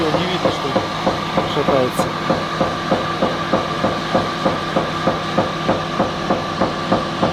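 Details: Sharp, regular knock about three times a second, apparently once per unloading auger turn, over a steady drive hum; the drive motor wobbles with about 5-7 mm amplitude. Source is suspected, not confirmed.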